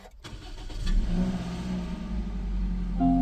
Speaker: I always love this moment when you just service the car, doing your first start.